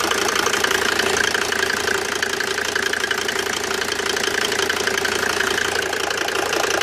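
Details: Mercedes W202 with OM605 turbo diesel idling with a steady, fairly regular knock about three times a second over the clatter; engine knocking, source unclear.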